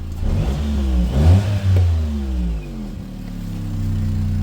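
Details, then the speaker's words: Car revving twice and falling back with a raspy, chuffing edge under the exhaust note; bad exhaust blow where the tailpipe joins the back box because the stud on the back box has snapped off. "There's a bad blow just here where the tailpipe joins the back box. The stud on the back's box has actually snapped off."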